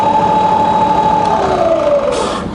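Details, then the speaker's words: Fully rebuilt Bridgeport variable-speed milling machine, low range reverse up to 280 RPM: smooth, quiet gear hum with clean tone shifting with speed, no grinding or knocking; healthy spindle. "All the way up to 280. Lovely and quiet."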